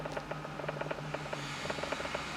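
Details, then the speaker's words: 2005 Buick LeSabre in for an airbag light, with codes for the front airbag sensor: quick, uneven chirping ticks several times a second over a quiet cabin hum, heard from inside the cabin. Source unknown. "what the heck is that noise"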